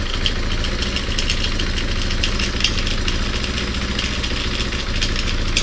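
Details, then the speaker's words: Revived Honda XR200R single-cylinder: steady idle with a fast, light metallic rattle riding over it; owner suspects timing chain on that side, possibly the clutch, not yet pinned down. "sounds like it's got a timing chain rattling something's rattling almost sounds like from right here the timing chain I believe is on this side"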